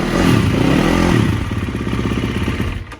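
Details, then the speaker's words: Gas Gas (KTM) four-stroke dirt bike after cylinder head reinstall, head with decked surface and recut seats, and valve clearance check; steady even fast idle with no ticking or knocking, runs clean. "that sounded good david did a good job got spencer's help"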